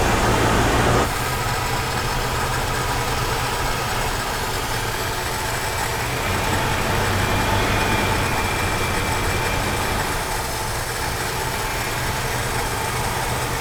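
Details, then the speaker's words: 1969 Chevy C10, first start after seven years junked, fed gas, held rich on choke: rough loping idle that dies when choke released; vacuum leak, suspected at carburetor adapter base, engine tone changes when sprayed with brake cleaner. "That has a vacuum leak, definitely, because I have to make it run really rich with the choke in order to keep it running. As soon as I let that go, it dies."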